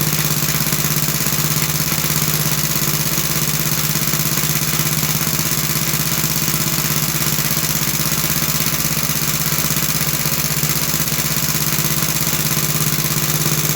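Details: About 66-year-old 1960s English-made Suffolk single-cylinder engine after a carburetor clean and a new plug wire, started on choke. An even, unhurried beat around 200 a minute, steady with no misses or knocks. Healthy steady idle.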